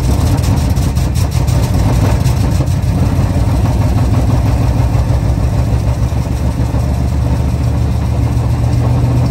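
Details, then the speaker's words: 1977 Chrysler Town & Country big-block after replacing pinholed metal fuel line, running off a gas can: deep, steady rumble with even beat, no misfires, knocks or stumbles; clean normal idle. "a piece of fuel line, metal fuel line, had a pinhole in it, so we bent up some new line and replaced that. And now it'll run off a gas can."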